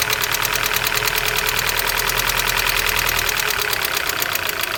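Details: Opel X20XEV engine knocking both cold and hot: sharp metallic knocking at roughly three per second, somewhat uneven, over the idle; internal engine knock, source undetermined.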